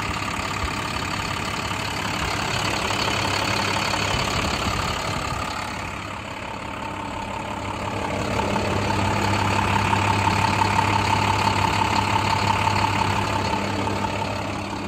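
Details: 2012 International PB105 short school bus, International DT466 MaxForce 7.6L turbo diesel, automatic, about 106,000 miles: steady, even diesel idle with a low drone and faint regular clatter, nothing irregular; normal idle.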